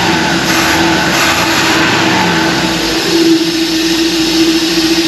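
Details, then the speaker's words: 1966 Ford being prepared for racing, restarted with its air filter not yet arrived: steady, even engine drone with a loud intake rush and no knocks or stumbles. Normal running, sounding better than the previous start. "it sounds better this time"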